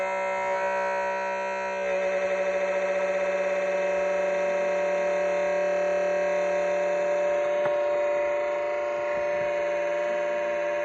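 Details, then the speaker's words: LiPo charger about a year old, running while bringing a 6S pack to storage voltage: steady high buzzing whine with a rough flutter of about four pulses a second. It was ultra quiet when new and now grinds. Not dropped; charger also stops short of 3.8 V. Cause unknown. "it didn't sound like this at first when I first got it it was ultra quiet you be you know you could hear the hum from it but it was a h this is a granding noise now"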